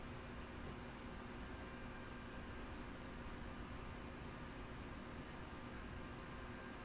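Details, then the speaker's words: Yaesu FT-101E on first power-up through a dim bulb tester, with a 14.200 MHz AM test signal at -76 dBm and 900 Hz tone injected, volume full: only a faint, even hiss with no tone. No S-meter reading, no change with the preselector; no signal received. "Well, I'm really getting nothing. I'm not even getting an S meter reading. Let's I get no increase in static on playing with the pre-selector."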